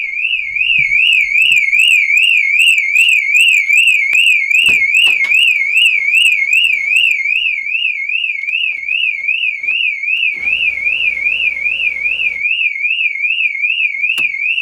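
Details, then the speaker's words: VW Polo 6n2, off the road for six years, being brought back; its car alarm goes off as a loud warbling siren sweeping up and down about 2.5 times per second without stopping. "I didn't know this thing had an alarm so I don't know if you can hear me over the bloody annoying alarm but we need to disconnect it"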